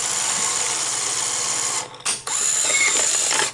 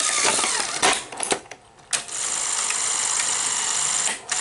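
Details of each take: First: Sony SL-HF900 Betamax VCR (711B chassis) that plays then stops: a steady whirr while a tape loads, then a sharp click at about two seconds as the bottom solenoid engages before play; normal operation. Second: Sony SL-HF900 Betamax that plays then stops: uneven whirring with irregular clicks and bursts after a switch fix, better but still faltering take-up reel drive; reel motor to be replaced.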